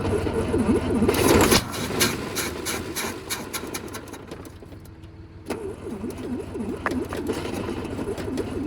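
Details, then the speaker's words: 1968 Kaiser Jeep M725 military ambulance, unrun for 15+ years, on jumper cables with a boat tank hooked up; the starter whirrs at about four turns a second and the engine catches briefly on starting fluid, then dies. It appears to run only on starting fluid, with the carburetor getting no fuel. "So, it appears that it's only running off of the uh starting fluid."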